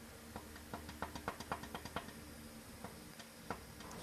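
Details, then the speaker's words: Engine torn down after silicone cleanup and oil pump housing rebuild; camshaft shoved back and forth by hand gives sharp uneven clicks, about .040 in end play versus roughly .002–.007 spec; excessive camshaft end play. "it's supposed to have between uh I think 2 to 7,000 in play but this one has about 40,000 in play if you can see you can even hear"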